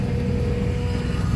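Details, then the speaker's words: The "TrapBlazer" SUV on a frozen cold start after sitting about a month in snow. A faint, steady whistle from the secondary air injection pump sits above the rumbling cold idle, and the pump soon shuts off. "man you can hear the secondary air injection system whistle and make noise that pump was shut off in a second it puts warm a into the cataly converters"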